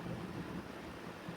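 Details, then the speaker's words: RV rooftop air conditioner after replacing a fan motor that had dry bearings with a matching motor and capacitor: smooth, steady low hum with no squeal or rattle. Repair successful, running as it should. "Now that's how they're supposed to sound."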